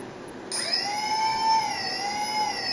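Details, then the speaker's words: Turnigy SK450 quadcopter brushless motor after swapping to a SimonK-flashed ESC, full-throttle response test: sharp spin-up to a steady, clean high whine holding even pitch with only slight wavering; motor sounds healthy and responsive. "sounds a lot more responsive already and what you'll what you'll notice is when I do the Full Throttle test look how quickly it ramps up like even the quickest I can do that still gets to at least half speed"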